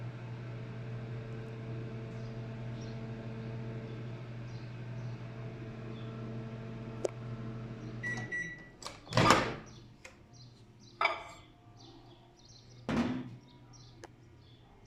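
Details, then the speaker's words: LG microwave after door switch replacement (before: counted time but no noise or heat): even low hum with steady buzz for several seconds, then door knocks; running and heating water normally. "Ya no hizo el fallo. A ver, vamos a ver. Sí, calienta."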